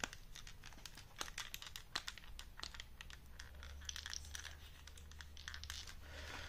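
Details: Audio-Technica ATH-MSR7 over-ear headphones: dry plastic creaking and ticking as the cups flex at the hinges. Ordinary silicone grease doesn't fix it; the fix is thick damping PMS grease applied after removing the earpads and screws.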